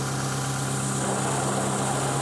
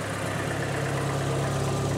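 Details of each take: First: 2020 John Deere ProGator idling before repair: a constant low hum and faint whirring as the clutch is pushed in and let out. The transmission input shaft bearing is going out and was then replaced. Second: 2020 John Deere ProGator transmission after input shaft bearing replacement, clutch in and out at idle: smooth, even low hum with no bearing growl or whine; transmission sounds normal.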